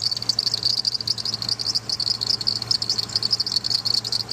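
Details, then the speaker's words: 2006 Ford E-450 6.8L CNG charging at 14.1V at idle: high, rapid, uneven chirps from the alternator area worsen with headlights on as load; belt or bearing suspected, alternator failure later confirmed. "Let me put a load and see how far the voltage goes. I'm going to turn on just the headlights. Okay, there was a load. As you guys hear, the chirping sound got worse."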